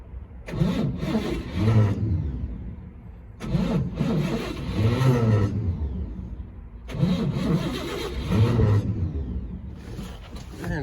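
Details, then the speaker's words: 1964 Chevrolet C20 long bed sat 19 years, first start attempt with a sticky starter, brake clean and choke tried: three cranking attempts of about three seconds, engine spins evenly but never catches. Possibly flooded. "all right it's not wanting to start see if a little bit of brake clean will do the trick"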